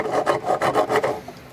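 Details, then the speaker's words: Suzuki King Quad 700 original rear differential, disassembled and turned by hand, gives a dry, rasping grind in quick strokes; every bearing is worn and the seals are failed after mud got in. "are shot you look here Baron's are shot every single bearing"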